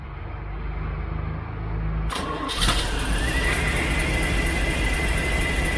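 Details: 1972 Chevrolet C10 shop truck V8 with an electronic tuner, while setting timing: cranks, catches and settles into a steady, even idle, slightly fast while warming up; runs healthy.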